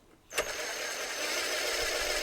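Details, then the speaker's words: Compactor plate exciter shaft spun with an impact driver after bearing replacement: smooth, even high whir holding steady, no rumble or grinding; bearings healthy, unlike old ones with corroded races. "That's just corrosion on the races. Bearings are still functional probably."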